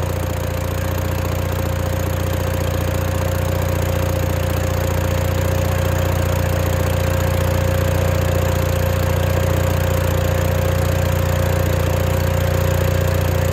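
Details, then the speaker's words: Case 1816C skid steer sat 10+ years in a barn, now running after repairs. Steady, even low rumble with smooth regular firing and no knocks, running better than expected. It later tried to move but seemed starved. "Bang ran better than I expected now that this whole thing runs it's kind of exciting"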